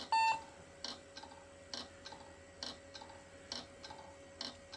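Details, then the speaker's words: Hard drive being tried in an IBM/Cyrix Socket 7 Windows 98 PC: sharp clicks about once per second over a faint whine, never spinning up properly. The drive is failing or half dead; the upside-down trick is tried next. "can you hear that that is not the sound you want let's try the old turn it upside down trick"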